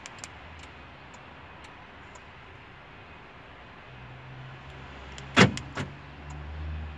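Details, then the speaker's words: Right door central locking motor replaced with a new one after the previously repaired aftermarket unit became noisy, tested on a temporary wire connection: short clean whir and crisp latch click, no grinding; noise gone, normal. "Nice. We got rid of that disgusting noise. Great.."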